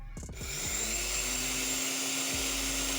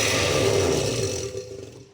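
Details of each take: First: Oster blender motor after replacing the bushings and bridge, tested before reassembly: spins up to a smooth, even high whine, holds it steadily, then winds down cleanly; no scraping or rattle, the loud noise is gone. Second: Oster blender before repair: loud rough grinding roar that fades as the motor spins down; very noisy due to worn motor bushings, fixed by replacing bushings and bridge.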